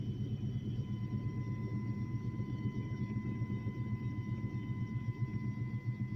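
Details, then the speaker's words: Chevy S10 with a 5.7 350 V8, run after sitting about six years: lumpy, stumbling misfire at full throttle, and it dies off throttle; fuel pump, plugs, cap, rotor and filter already replaced; owner unsure whether spark or injector. "just spitting sputtering missing i don't know if it's no spark or injector like i said it's been sitting for years"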